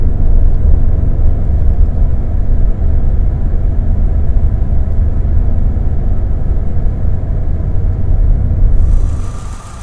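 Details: Opel/Vauxhall Vectra B, Z16XE 1.6 16V petrol, idling with a heavy, uneven, lumpy rumble; ECU fault code P0304 cylinder 4 misfire detected.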